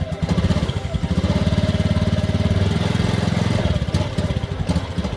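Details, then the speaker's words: Honda Beat ESP 2019 injection scooter hesitates and stumbles when throttle is opened from low revs, running unevenly; scan shows DTC for throttle position sensor (TPS) error and TPS circuit malfunction, pinpointing a faulty TPS. "Dan di sini ada nih DTC atau kode kerusakan itu ada error pada sensor posisi throttle atau TPS. Yang kedua ada TPS atau rangkaiannya tidak berfungsi."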